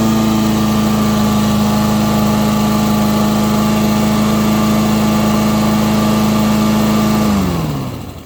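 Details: Free Husqvarna lawn mower that wouldn't start, after cleaning the clogged carburetor and adding fresh fuel: steady, even hum at constant speed for seven seconds, then it winds down smoothly at shutoff; runs well.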